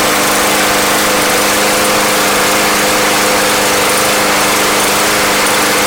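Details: Yard Machines lawn mower, bought not running and treated with Seafoam, hot restart: steady, even drone with constant tones and no misses, surges or knocks; the engine runs smoothly and sounds healthy.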